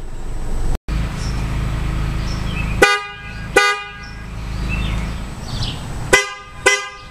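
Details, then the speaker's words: 2009 Toyota Camry with new FIAMM horns replacing the originals, long test blow for electrical load: loud steady note for a few seconds, then two clean short toots; horns work properly, system handles it. "all right there's my 10-second blow it the electrical system can handle it"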